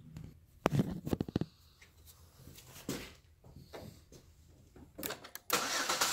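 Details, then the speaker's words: Pontiac G6 with intermittent no-crank/no-start and stalling in rain (P1682, P0685), running with fuse 3 missing from fuse block: cranks and catches with uneven stumbling pulses and scattered clicks, not smooth; rough running after start. "So you can see, it doesn't sound right, it doesn't feel right."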